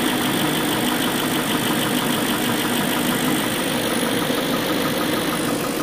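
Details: BMW M62B44TU V8 at idle; fine, fast, even metallic chatter over a steady idle; possible timing chain rattle.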